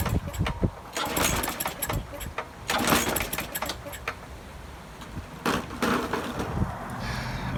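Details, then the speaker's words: Briggs and Stratton 5.0 engine on a 21-inch push mower: several sharp pull-cord rips, each with a brief cough, but it never catches. The no-start is due to a dirty carburetor, fixed by cleaning it. "this lawnmower doesn't start you saw me crank it up try to crank it up three or four times over there it does not work"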